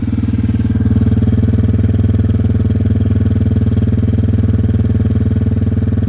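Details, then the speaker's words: Yamaha TW200 just after valve, carb screw and clutch adjustment at a shop: single-cylinder thump at an even, steady beat around three pulses a second, no misses or ticking; normal smooth idle, running better than when bought. "this bike is now running better than it did when I first bought it. It is purring like a kitten"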